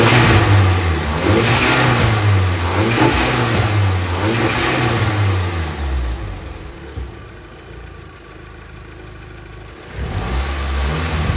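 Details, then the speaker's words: Vauxhall Nova after welding work: engine revs up and drops back cleanly in repeated blips, settles to steady idle, smooth with no misfire or pops; sounds all good. "That sounds all good."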